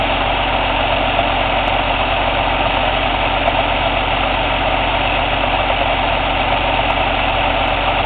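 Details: Cummins ISX CM2250 diesel at steady idle during DPF regeneration: irregular aerodynamic chuff from the intake roughly once a second, no mechanical noise or metallic knock; owner suspects turbo chuff during regen, unconfirmed.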